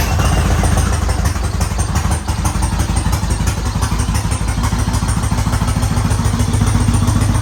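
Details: 2013 Yamaha Raider after tune-up with oil and filter change, new air filter and spark plugs: deep, steady idle about three pulses a second, even with no ticks or knocks; sounds good and healthy.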